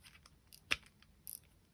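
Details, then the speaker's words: On a new KastKing Valiant Eagle 2 BFS baitcasting reel with about 50 m of line, the star drag gives faint scattered ticks, one sharp click and a brief rattle that come and go. The owner thinks his reel is a little floaty and is not concerned; the drag clicking is intermittent. "you can hear it there but it comes and goes I think mine's a little bit floaty like that uh it's not gonna trouble me"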